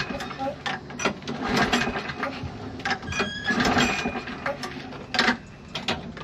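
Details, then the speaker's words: Toro Recycler lawn mower with fuel in the tank: recoil pulls whir and ratchet in short bursts, but the engine never fires. It cranks but won't start; owner suspects a clogged carburetor and plans to clean it. "And as you can see, it does not start. So our lawn mower, it does have fuel inside. So yeah, it does have fuel. It's just not starting."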